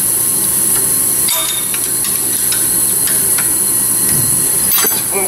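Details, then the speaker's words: Honda Civic 1.7 with crank-no-start, engine off, leak-down tester on one cylinder: steady high airy hiss with a few tool clanks as air escapes past bent valves, possibly on both intake and exhaust; cylinder later still shows 40% leakdown. "well this one here at some weak down to it's blowing out this cylinder here I don't know if it's leaking on the intake and the exhaust"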